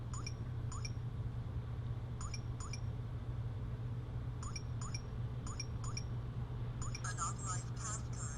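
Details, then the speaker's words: Smonet smart door handle fingerprint/keypad lock, wrong code entered while locked; short high chirps with each keypress over a low hum, then a rapid warbling alert saying not authorized; keypad beeps with access denied alert. "All right, now it tells you you're not authorized."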